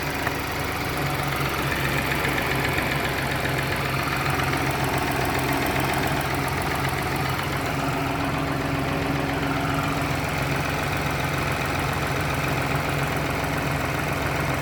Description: BMW X1 18i b38 ticking sound on cold start. Is there maybe any known solution to this problem?